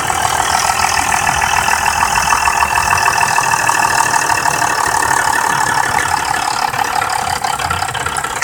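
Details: BMW F10 523i at idle: fast loose metallic rattle about three per second from VANOS area; owner suspects it began after VANOS bolt replacement; dealer later fixed it without saying cause; engine rattle.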